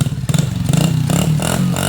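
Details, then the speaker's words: Single-cylinder pit bike after carb cleaning: brief blip, then slightly high, even idle with no misses or stumbles; idling cleanly. "idols awesome and it sounds awesome listen to that item that's so sick"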